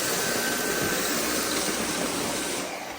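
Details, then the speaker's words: Dyson V8 cordless vacuum after battery and filter replacement, running on the high setting. Before the fix it flashed and ran-stopped on high. Now a steady, high, airy motor roar holds without cutting out, then trails off at switch-off; it runs normally. "It would never run on high. It would just start flashing and kind of run and stop and run and stop. But now it seems to work pretty good."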